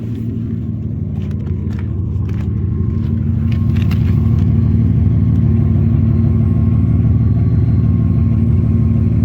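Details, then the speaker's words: Nissan Maxima just after an upgraded fuel pump replacement: a low, even idle with a steady beat and no misses or stumbles, a faint high-pitched pump whine and good oil pressure. It sounds better than the earlier stumbling, a normal idle. "might be able to hear it on camera, you might not. Definitely sounds better. Okay, we got good oil pressure. Nice. Seems to be doing all right."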